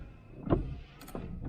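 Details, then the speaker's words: El Camino wipers, possibly rewired: motor whirs, sweeping about every half second without parking when switched off; only ignition off or pulling a wire stops it. Cause unconfirmed. "It's just staying on. So basically, yeah, that's what it was doing the other day. So basically, it's not, it's just on. The only way you turn it off is either turn the ignition off or pull this wire."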